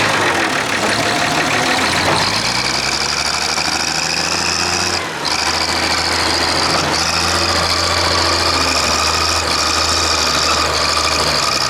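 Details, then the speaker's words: Clark Michigan loader diesel, working under load. A cracked injector line on number 6 of the inline injector pump, new since last week, causes the miss, first suspected to be from bleeding the fuel system that morning. Uneven, lumpy beat with one cylinder dropping out. "That's what I thought the mess was when I walked over to it, but it's actually got a cracked injector line, which wasn't there last week."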